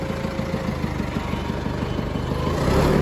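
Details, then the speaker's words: John Deere 555 bulldozer, 20+ years old, first start: old diesel catches and chugs in a fairly even beat, picking up slightly at the end; running fine. "that works too look at this guys this is awesome we got it started it's sick"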